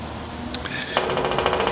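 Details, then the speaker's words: Waste-oil vaporising burner shed heater: gravity-fed oil, a cheap cycle timer switches the pulse pump on about 1 second then off for a set lag time; crisp clicking ticks repeat over faint room hum, normal pulse pump cycling. "what this does is simply turning this pulse pump on and off you can probably hear it clicking once the little light comes"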